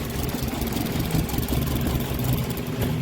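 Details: 2016 Ford EcoSport petrol idling unevenly, stumbling and jerky, won't rev, code P0302 cylinder 2 misfire; coolant level low and water found in all cylinders causing the misfire and check light.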